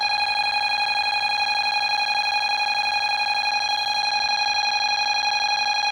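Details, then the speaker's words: Bosch B9512G security panel with every enabled zone in alarm: steady high-pitched electronic tone pulsing about a hundred times a minute without letup, the panel's sounder in full alarm. "So, every zone is now on alarm that's enabled."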